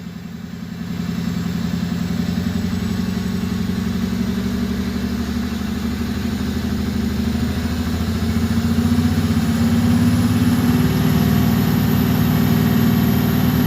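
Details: Warmed-up flatbed truck held just off idle at about 700 to 1,100 rpm: it throbs unevenly with a rough, lumpy misfire that is worst around 900 to 1,000 rpm, fine at normal idle, and less bad above 2,000 rpm.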